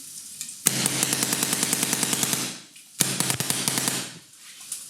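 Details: Planet Eclipse Ego LV1/1.x paintball marker at the final test after its solenoid manifold seals were replaced and a trigger electronics fault was fixed: two rapid strings of sharp, evenly spaced pops, about three a second, clean and crisp. It is firing normally.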